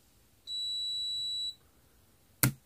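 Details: Multimeter measuring a 0.15 microfarad capacitor: one steady high beep about a second, then a single sharp click, as the meter briefly sees the capacitor charging; normal.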